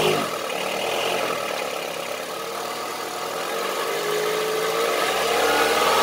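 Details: Honda CR-V III 2.4 engine revving: hard, diesel-like clatter riding on the engine note; engine knock, cause suspected but not confirmed.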